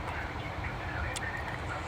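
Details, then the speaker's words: Mercedes-Benz W204 petrol four-cylinder idling after replacing faulty ignition coil on cylinder 1 that caused a misfire; steady, even low hum with no stumble or vibration, now silent and smooth. "अभी कुछ vibration नहीं है। एकदम silent है गाड़ी। आप देख सकते हैं।"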